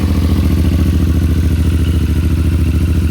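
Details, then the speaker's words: CFMOTO Ibex 450 at 587 miles, in neutral, idling for about a minute after its first break-in oil change: even single-cylinder thump with light mechanical clatter, no knocks or misses; normal idle. "Let it idle for a minute. Circulating that beautiful new oil."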